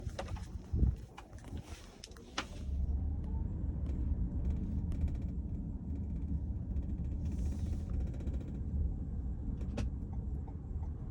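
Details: 2023 Toyota Sienna driving: sharp, irregular clicks from the second-row cabin area over steady low road rumble.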